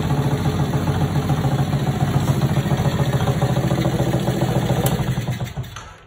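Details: Restored mini chopper / mini bike, small single-cylinder engine: quick, steady idle with an even beat, then cuts off at the end; normal idle, and the owner reports it drives and runs beautifully after the restoration.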